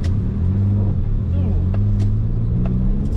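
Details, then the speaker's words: Suzuki Cappuccino ("Viperccino") after a track day, driving on the road: steady low engine drone broken by sharp irregular clunks; recently new standard clutch failed, clunking near bell housing, trouble selecting third, flywheel likely damaged; earlier gearbox suspected. "You can probably hear the clutch now."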